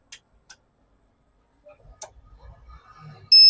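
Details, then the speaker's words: Microtek Heavy Duty 1550 12 V inverter: works on battery mode, but when mains input is switched on a few clicks are followed by a loud continuous beep. "यह कैसा beep की sound कर रहा है लगातार। यहां से हमको काटना पड़ेगा। ठीक है फ्रेंड्स? ऐसे ही लाइन देने पर पी की आवाज कर रहा है।"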